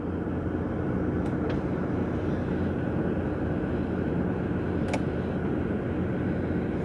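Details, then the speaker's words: Jeep ZJ fuel-injected gas engine cold start at about -21°C, warming up at night with the windows frozen and the rear defogger on: a low, steady rumble with no misses or knocks, a normal healthy cold idle. "And we're just going to let this engine warm up and thaw out the windows here."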